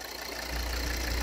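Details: 2013 Volvo XC60 2.4D diesel (D5244T10) at idle, complaint of noise near cylinder head: dull uneven low throb swelling after half a second; burst membrane in vacuum pump check valve makes vacuum pulse the turbo boost-control actuator flap.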